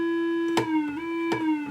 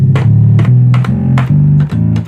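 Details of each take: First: Rare Minitmoog synthesizer as received, before repair, at low volume. A single steady, slightly wavering tone with overtones and clicks: the filter is self-oscillating, the envelope generator is audible, and there is no oscillator output. Filter self-oscillation, no oscillator output. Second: Rare Minitmoog synthesizer on the Taurus preset, after repair work. Clean repeated bassy notes with steady pitch and even volume sustain without dropouts or buzz; glide and sustain work. Normal operation.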